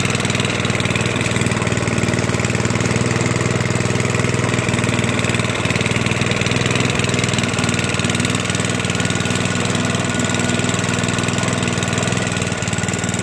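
Small single-cylinder engine holding a steady, even idle with a smooth fast putter and no misses; running healthy.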